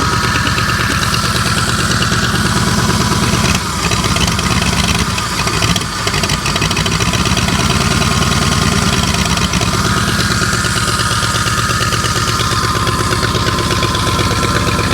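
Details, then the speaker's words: 1984 Ford 351 Windsor V8 from an F-150, started for the first time after about 23 years in storage: steady, even low idle rumble with a smooth beat and no knocks or misses; normal idle. "Listen to this old girl run. 20ome years setting. Wow."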